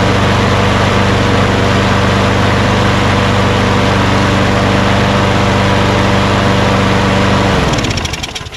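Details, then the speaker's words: Craftsman push lawn mower engine checked with a wrap-around coil tachometer: steady, even high-pitched drone at about 2900 rpm with no surging, winding down at shutoff; normal governed speed for this engine. "so uh it shows about 2 900 rpm i thought it might be higher but this is the sound that you want you know i guess for this engine 2900 is about right so that's good"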